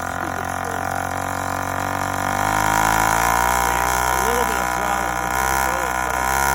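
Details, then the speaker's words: Yamaha YD100 two-stroke with Dio reed valve, newly ported cylinder and self-windowed piston, first startup: fast idle with pitch wandering up and down, never settling; owner suspects the uncapped boost port, not confirmed. "that might be what's giving me that crazy uh idol but no matter what i gotta cap that off"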